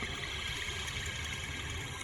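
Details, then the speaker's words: Honda Element wheel bearing, removed and turned by hand: steady, rough, gritty rumble with a hissy edge from a worn-out bearing; the new replacement bearing is silent. "Yeah, that bearing is toast."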